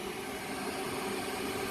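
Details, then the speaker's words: Original inducer motor on a Lennox rooftop package unit: steady whirring hum with constant mid tone, running when it should be off, apparently backfeeding power through itself; inducer motor running when it should be off. "So we're gonna power this thing on. And if you can hear that, we still have inducer action."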